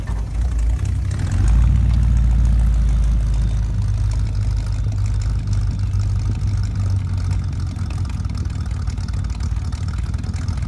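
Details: 1975 Ford F-100 V8, abandoned for 17 years, on its first start attempt: it catches with a quick rev, then settles into a steady, even low V8 burble with no misses or knocks. Normal idle.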